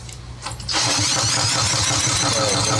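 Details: 7-year-old Craftsman 28-inch walk-behind mower, sat over a year, after spark check: quiet, then catches and settles into a fast, even single-cylinder putter; starts cleanly and runs fine, valves to be checked later.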